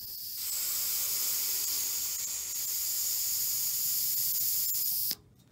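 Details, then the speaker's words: Ariston combi boiler heating system with low pressure, highest radiator upstairs: steady sharp hiss of trapped air escaping as the bleed valve is opened gently anti-clockwise with a key, stopping when water starts spurting. "so again just turn it very gently anti-clockwise and you'll hear some air start hissing out"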